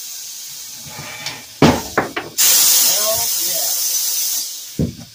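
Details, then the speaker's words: Pneumatic tire machine being repaired after a part had been blowing air and not working: sharp clunks as the bead breaker seats, strong steady air hiss, final thump breaking an old bead; pneumatics cycling normally. "Those tires probably, this bead probably hasn't been broken off in probably 20, 30 years. Hell yeah. Tire machine. Sounds like the tire machine is working."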